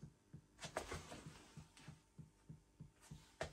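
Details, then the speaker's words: Audio Innovations 800 Mk1 25 W class A tube power amp at first power-up after a modification, measuring 350 V where 340 V is expected. Soft low thumps about three a second over a faint hum from the rear speaker; cause unknown. Low-frequency pulsing. "okay there's something not as it's supposed to be it's all tubes I know that if you can hear this it's some bloop going on and two to 250."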